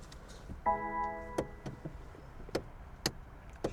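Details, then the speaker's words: BMW with M40 engine on jump leads, no start: single dry clicks at uneven intervals under a dash chime, no cranking; not enough battery power. ">> არ იქოქება რა საინტერესოა კაპოტი ხო არ ჩავკეტოთ? არ იქოქება არა ანუ ზაჟიგანიასაც არ ხსნის მოიცა აბა კარი ჩავკეტო არა არაფერი არ შველის >> აგე ხო გითხარი დენი არ ყოფნიდა"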